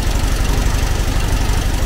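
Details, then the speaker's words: 1970s VW Type 2 Camper engine warming from cold: lumpy, uneven low idle; owner suspects it needs carb adjustment or new spark plugs, with a vacuum leak also suspected. "let the engine warm up a little bit it's not sounding great really it might need a new set of plugs or something even"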